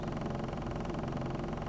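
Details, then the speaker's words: 2000 Ford Focus 2.0 SOHC after diagnosing P0302 cylinder 2 misfire and stumbling: even, steady idle with a smooth low hum and no stumbles; misfire monitor complete, no misfires, no code. "I haven't had any stumbling no misses everything looks good no code"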